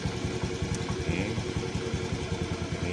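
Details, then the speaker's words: Fuel-injected motorcycle after a first screw adjustment: low idle thumps come unevenly, stumbling and limping rather than settling; still rough and unstable, so the screw is turned further right. "Oke ini Saya nyalakan kembali untuk suaranya masih kurang stabil atau pincang kita bisa putar ke kanan"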